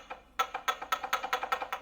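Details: 2009 Hyundai Sonata worn lower ball joint, separated and rocked by hand: quick, sharp hollow clacking, about eight knocks a second; customer complained of knocking from the front.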